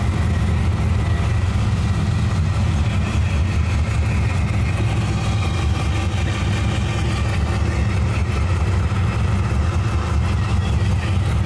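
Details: Drag truck V8 first fire after a 1,200 hp-capable fuel system install with dual in-tank pumps, new rails and an Aeromotive regulator: deep even idle, strong rumble, no misses or knocks, fuel pressure 58.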